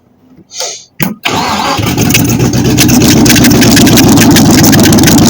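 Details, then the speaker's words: Chevy 350 V8 swapped into a 1953 Ford Customline, with carburetor and starter issues and loud exhaust: quick start, then loud, lumpy open-exhaust fast idle; ignition timing sounds too far advanced. "I have to say that that is way Advanced that's why when you rev it it goes up and it takes a long time to come down"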